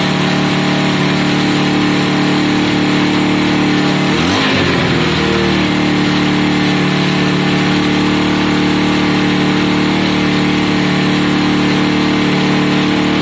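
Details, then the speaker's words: Honda CB200 at first start-up with choke on and oil put in the cylinders. Steady buzzing idle with one quick throttle blip and a clean drop back to an even beat. Normal warm-up idle. "It's warming up now. Let's go quarter up there, John."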